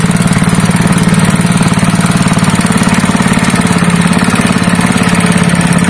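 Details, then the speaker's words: Honda GX160 5.5 hp single-cylinder engine, previously pulling as if it had no compression, runs after a valve clearance adjustment (IN 0.15 mm, EX 0.20 mm): quick, even firing at a steady fast idle, no knocks, misses or surging, engine back to normal. "वह परिणाम नहीं है, दोस्तों, इंजन वापस सामान्य हो गया है और एक बार जब आप इंजन को खींचते हैं, तो यह तुरंत शुरू हो सकता है इंजन।"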